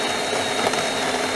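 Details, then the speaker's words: Badly neglected DeLonghi coffee machine, customer complaint coffee comes out drop by drop, brewing at maximum strength: strained, labored pump drone with rough rattle and little flow; pump struggling because coffee is ground far too fine. "kawa leci po kropelce No widać że coś jest nie tak że to za wolno to i tak idzie nieźle ale on się męczy słychać że pompa przycichł"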